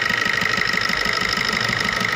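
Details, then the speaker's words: Maruti new Swift diesel idling: sharp regular knocking rattle, about six or seven knocks a second, with white smoke when revved. The No. 1 injector's return is double normal, a faulty injector. "इसका कड़कड़ाने का जो आवाज़ है वो साफ सुन सकते हैं किस तरह से कड़कड़ाहट की आवाज़"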